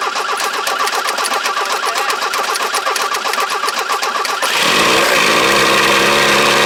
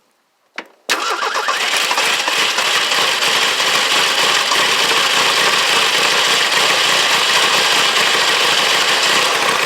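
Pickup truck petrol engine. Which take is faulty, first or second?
first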